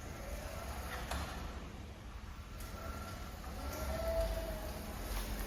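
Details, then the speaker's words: Abandoned, previously dead electric wheelchair repaired at zero cost (ignition/key switch replaced with workshop parts), now running after brake fault cleared: steady low motor hum with faint whine rising slightly as speed is increased; smooth, normal drive. "Okay guys, as you can see, it works. I can increase the speed."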